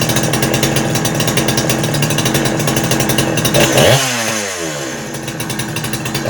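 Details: Husky 372XP clone chainsaw after port timing changes, running without bar and chain: screams at high revs with burbling, uneven break-up in the note, typical of a rich carb setting making it four-stroke.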